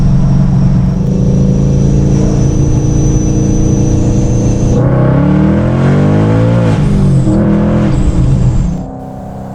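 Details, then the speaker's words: 2017 Ford Mustang S550 V8 with full MBRP exhaust and reflashed tune, after the PCM was erased by a dead battery: loud, deep exhaust pulling hard in second gear, pitch climbing cleanly; normal acceleration. "So yeah, second gear, she just blows the tires off. It's pretty sick. I like it."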